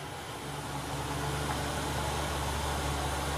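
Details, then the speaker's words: 1994 Suzuki Realvan DRV with a serviced carburetor and no oil seepage: a steady, even, low smooth idle hum with no knocks, misses or rattles; engine healthy. "karburator sudah diservice mesinnya udah oke suaranya halus langsam enggak ada rembes oli"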